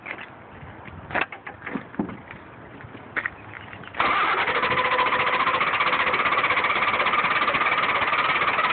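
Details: 1994 Ford F250 won't start when warm: starter cranks steadily at about three and a half turns a second after some handling, but the warm engine never catches.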